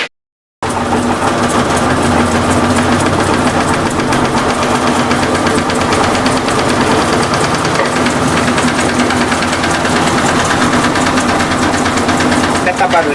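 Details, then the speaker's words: Electrolux LT15F washer during spin after foam tape was added to the suspension cup: rapid uneven knocking, about four a second, over the spin drone; noise reduced somewhat, hose had been hitting the cup. "mas diminuiu um pouco a mangueira tava batendo no no copinho não contribuí pro barulho"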